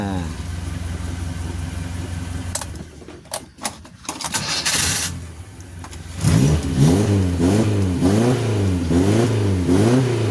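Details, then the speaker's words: Suzuki Carry 1.0 (Adi Putro) with distributor replaced by CDI and upgraded injection-type coil (Baleno/Karimun Estilo), idle set around 500 rpm: smooth even rev blips, firing cleanly; ignition now stable, engine sounds cool and steady. "Oke, Lur. Suarane mantap. Adem. Kemudian stabil anteng, Lur. Karena di sini pengapiannya sudah stabil, Lur."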